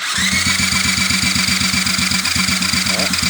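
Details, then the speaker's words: 2001 Honda XR70R dirt bike, just started after the stator and stator plate were replaced: a small single barely idling, with a fast, steady metallic rattle of about four a second over the putt; rattle present, cause unclear. "well it runs it's got a pretty good rattle"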